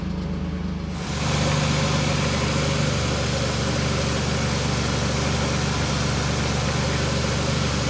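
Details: 2005 Jeep Liberty Renegade 3.7, manual, after no-crank no-start traced to broken computer feed wire 29 and bypassed: engine catches after a second and holds a low, steady idle with no misses or hunting; runs healthy.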